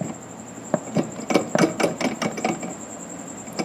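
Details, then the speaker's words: CV axle replaced only about a year earlier, removed from the vehicle and partly locked up, worked by hand: irregular dry clicks and knocks in bunches; the noise was there before removal, failed CV axle. "yeah I'm sure y'all can hear that in there that happened before I ever pulled on it so yeah she dead in the water which is good cuz now I know what it is"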